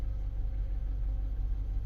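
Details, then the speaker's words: 2010 Chevrolet Camaro SS V8 after a DIY aftermarket fuel pump replacement through a hole cut in the floor: deep, steady idle burble, smooth and even with no misses, ticks or knocks; "purring like a kitten." "Boy, that thing purring like a kitten."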